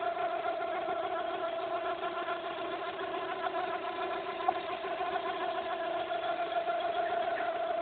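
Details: Fiat Brava 1.6 16v at idle: a constant mid-pitched whirring hum over the engine that does not change; sudden noise from the belt drive, cause unknown.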